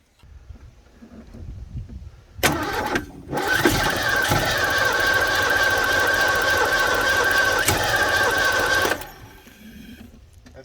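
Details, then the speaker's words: Supercharged 1991 Ford Mustang 5.0 L LX suspected of head gasket failure, coolant in the oil and possibly in a cylinder, after apparently locking up: the starter drags the engine over slowly and unevenly, about four beats a second, straining but not totally locked. "think we'll leave it at that and yeah it's not totally locked like if it's trying yeah"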